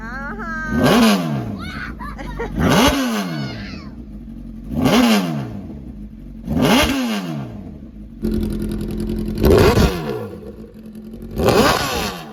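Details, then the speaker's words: Crashed Honda CBR1000RR first start-up after Marvel Mystery Oil soak, coolant status unknown, smoking from oil spilled when wrecked upside down; sharp rev blips every couple of seconds, clean rise and fall, no misses or knocks: healthy revving. "The hot pursuit CBR1000 runs and she's not leaking a thing."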